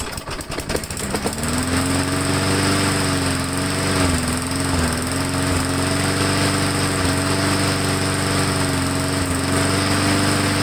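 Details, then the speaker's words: Briggs Classic engine on a lawnmower, cold start, carb cleaned, new air filter and oil: catches and holds a steady buzz with brief speed sag, only keeps running while primed; starts then stalls, fuel supply suspected, unconfirmed. "so it is priming very well but like i said it starts and then it stalls"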